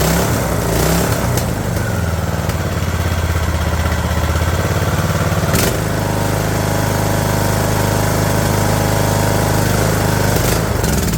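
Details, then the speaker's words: Craftsman LT2000 mower engine, found partially disassembled and feared junk, started with choke and starting fluid: single cylinder catches and settles into a steady, even low chug, no knocking or clatter; normal running. "uh ladies and gentlemen it runs let me open the door that's cool cool super cool um it sounds good holy smokes"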